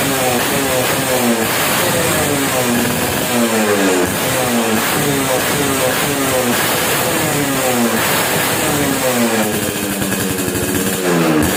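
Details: Suzuki Satria 2T two-stroke after porting rework, owner complained of sluggish pull, on unfinished initial tuning: crisp, buzzy revs rising and falling in quick blips, no misfire; normal revving.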